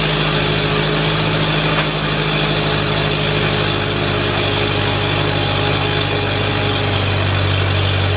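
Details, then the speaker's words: Farmall Super A tractor, newly running after ground and wire repairs restored spark, warming up: steady even low chug at constant speed, no misses or knocks; clean normal idle. "well I thought I'd let that thing warm up just a little bit"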